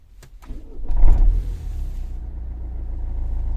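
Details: Renault Scenic 3 with 2.0 dCi M9R diesel and an intermittent no-start (radiator fan runs at full speed instead), wiring checked: brief cranking bursts, then it catches and settles into a steady low idle; started after repeated failed attempts.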